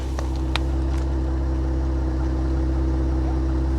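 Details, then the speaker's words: 2025 Ram 1500 Rebel, twin-turbo straight-six SST, 2,500 miles, listening at exhaust: steady even idle, deep smooth drone, no skips; not misfiring at this moment, though earlier misfire and codes noted. "no no it's not misfiring"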